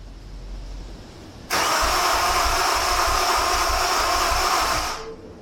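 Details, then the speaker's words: Honda S2000 cranked with the injectors reconnected after fuel-clearing cranks left a strong fuel smell: starter spins steadily at about three beats a second for three seconds, never fires. Cause unknown; crank, no start. "obviously that didn't work."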